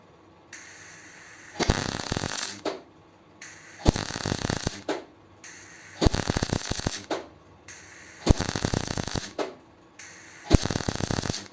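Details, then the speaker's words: MIG welding a donor-car patch on a 100E Anglia: five crackling one-second bursts about two seconds apart, the first sputtering, then an even frying sizzle, showing optimum pacing between bursts; normal MIG welding bursts. "Can you hear that it's longer than just a little tack? Can you also hear that there's an optimum time between the bursts?"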